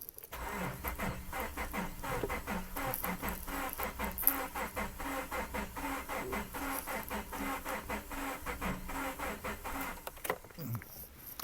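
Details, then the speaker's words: 2011 Subaru Forester 2.5 DOHC, cranks but won't start, scope on amperage, ignition and crank sensor, engine suspected out of time: cranking about two beats a second, lopsided, some strokes spinning freely; relative compression shows low compression, sounds terrible. "Sounds pretty terrible."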